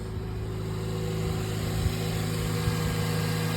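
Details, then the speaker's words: Toyota Yaris SR 1.3 after new alternator and drive belt and a re-secured battery terminal: smooth, even idle with a steady low hum and no belt squeal or chirp; battery light off, normal idle. "We start it up and we shouldn't have any problems. Battery light on? No, it's off."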